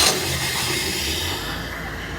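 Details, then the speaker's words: Boat engine of water ski boat at 160° after installing a refurbished carburetor, started with just a key turn and no pumping: fires promptly, settles into smooth steady running without stumbling; much improved warm start. "we are running just like that that this is spectacular this is a huge Improvement"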